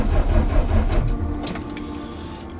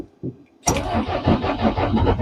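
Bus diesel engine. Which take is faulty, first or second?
first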